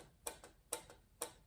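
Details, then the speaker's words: Bathroom-fan roof vent louver with small torsion springs added to hold it down: the flap lifts easily and closes with three light, crisp ticks and no rattle, much quieter than before the springs. "Doesn't take too much to lift the flap up. And when it comes down, doesn't make too much noise. I think it's cuz there's less less rattling happening."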